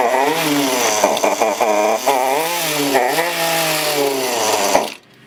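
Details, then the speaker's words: Husqvarna 329L trimmer, new and under warranty, with idle speed set very low: buzzy two-stroke wavers up and down, never settling, then cuts out dead; it won't stay running. "I'm going to try to start it and turn it up but I don't know if it'll even run that much"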